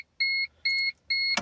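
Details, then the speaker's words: First-generation Chevy/Geo Metro (Suzuki) with crank no start, after tapping the fuel pump: at key-on only three dash chimes and a click, no pump buzz; fuel pump not priming. "Cranking it over again and see. Let's put the key on, turn it to the on position. Nothing."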